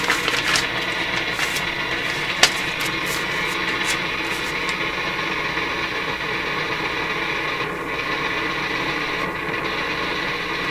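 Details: Nordmende Norma Luxus tube radio with a weak EL95 output tube, noise present even with the volume turned down (after the volume control): loud irregular crackles and pops over a steady rush that change when the tube is moved; an intermittent connection is suspected.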